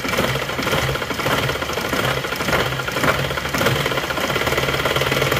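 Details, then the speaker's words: Isuzu Panther diesel, no thermostat, sluggish pull and stalling after revving: revs rise then sag and stumble in uneven surges when revved high; injection pump starved of diesel, indicating a clogged fuel filter. "Nah, ini adalah penanda kalau goyang seperti ini, digas tinggi terus RPM-nya turun, glek-glek terus mau naik lagi."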